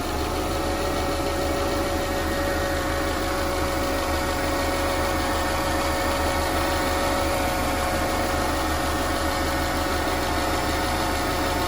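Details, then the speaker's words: 2009 Subaru Legacy 2.5 L non-turbo SOHC at idle, after rack-and-pinion replacement: steady thin whine riding on the engine; owner thinks the previous owner ran the power steering pump dry, pump to be replaced. "But I think the previous owner ran out of power steering fluid and then ran this pump dry, and therefore it's causing some kind of whining noise."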